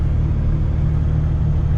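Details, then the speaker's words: Heavy-haul truck idling at 760 rpm, possibly during a regeneration, truck dislikes low rpm: heavy, steady low rumble that is louder and rougher than it should be; noisy idle, cause unclear. "so you hear that very noisy like i'm i'm idling now and it's 760 rpm"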